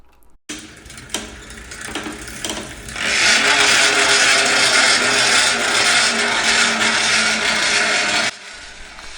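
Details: Single-speed bicycle coaster brake hub makes a loud, harsh rasping hiss while the wheel coasts, swelling then cutting off; rubbing noise before overhaul.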